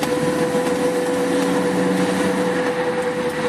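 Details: Car while driving after the owner changed the caliper: steady mid-pitched hum over road noise, loud at slow or fast speed, stopping when brakes are applied then returning; source unclear.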